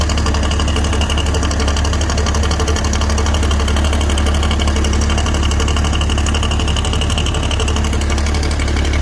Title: BMW engine knocking noise #bmw #engine #knock knoc